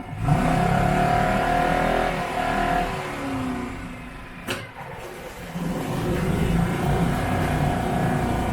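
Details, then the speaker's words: Yamaha F4 4 hp four-stroke outboard, stored about five years, after clearing hydrolock from oil in the cylinder and refilling oil: revs up cleanly, drops back to smooth, even idle, no misfire; residual oil smoke burning off. "Seems to be running great and idling fine."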